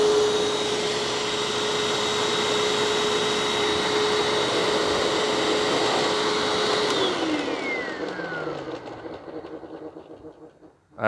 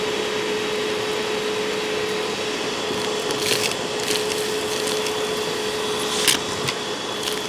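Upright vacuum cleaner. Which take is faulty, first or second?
first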